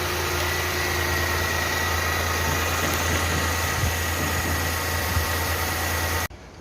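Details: Renault Kwid after cylinder head removal and reinstallation to cure a misfire: steady, even idle with smooth low hum, no stumbles or knocks; running cleanly.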